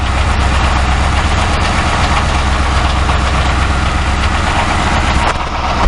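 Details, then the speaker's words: 2006 Ford Crown Victoria Police Interceptor V8 idling with a loose, uneven low rumble, engine and drive-by-wire throttle body visibly shivering; mic near the catalytic converters, a rough idle. "yeah it's running but as you can see the engine is shivering see"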